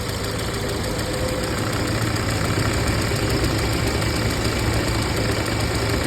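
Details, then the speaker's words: 2013 VW Jetta 2.0L at idle, AC on so the radiator fan runs at full speed: fan roar with faint uneven ticking as the fan wobbles; radiator cooling fan wobble. "See, it is also wobbling. Now it's on a full speed."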